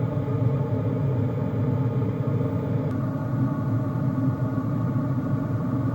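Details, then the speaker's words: Hcalory 8kW all-in-one toolbox diesel parking heater running after being doused with water in a weatherproof test: a steady low roar from the burner and fan with no sputter or surging; very quiet. "It is very, very quiet. Um, much more quiet than the one I have in my RV."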